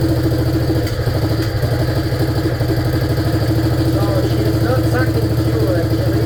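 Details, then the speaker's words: 1947 BMW R35 single, run after sitting for years: low, lazy, struggling thump at about three pulses a second as it is not drawing fuel properly; fuel starvation. "As you can hear, she's not sucking fuel and it's a little bit dusty in so it's really really foggy in here."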